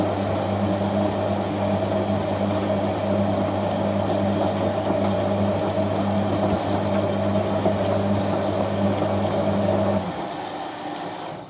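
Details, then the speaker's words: Hotpoint 9530 Electronic 1000 Plus, Programme 4 50°C coloured synthetics, polyester/cotton load with Persil: during the wash fill, even valve hum and rushing water last about ten seconds, then cut off cleanly. The top water seemed to slow slightly; normal fill. "There we go, already filled. I think the top water slowed down slightly on this."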